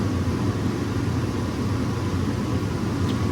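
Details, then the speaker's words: Raypak boiler during a quarterly preventive-maintenance check: the blower runs, a call for heat comes, the gas valve opens and the burner ignites. A deep, steady low rumble follows with no surging or stumbling. The burner is firing evenly. "And that blue light should turn on once the burner is ignited. There's the gas valve. There's the burner."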